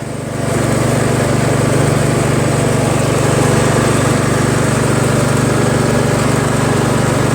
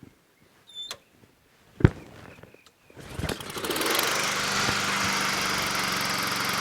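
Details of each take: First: Troy-Bilt Pony lawn tractor, deck/PTO engaged, after hole drilled out to cure surging: engine picks up then holds smooth, even beat without rise or fall; steady running. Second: Honda HRT216 push mower after carburetor cleaning, tried on and off choke and with carb spray: a few pulls then long cranking with no engine taking over; owner suspects overly potent fuel treatment in gas, failure to start.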